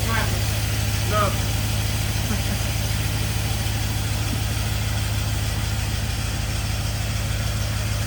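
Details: 1951 Chevy with LS swap, first start-up: lumpy, uneven idle with a low throb, running on only four cylinders; the injectors on one side aren't firing right, and the harness was later swapped side to side.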